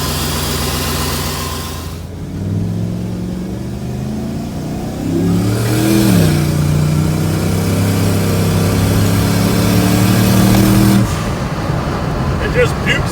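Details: 2001 Chevy Silverado 6.0 L three-quarter-ton pickup fitted with a big truck turbo: engine pulls up through the revs, rising in pitch, exhaust roaring loud under boost, then drops away; possible wastegate venting, crew suspects it runs lean with RPM, maybe fuel pump.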